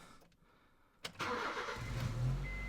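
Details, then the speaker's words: 2005 Honda Jazz with P0339 intermittent crank sensor code: with the crankshaft sensor reconnected after a no-start test, a brief crank catches into a steady idle. Normal start, proving the crank sensor gives an input; sensor to be replaced. "there It Starts Now wasn't stared before so there's definitely an input for that crank shaft sensor"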